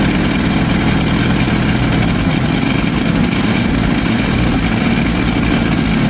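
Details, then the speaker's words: 1990 Jeep YJ 4.2L 5-speed, after a new fuel pump and with five spark plugs done: loud, ragged running with an uneven, stumbling beat that never settles, misfiring; owner suspects fouled plugs, and the pump is leaking; rough running. "Maybe yep I don't know seems like it's still not wanting to run very good"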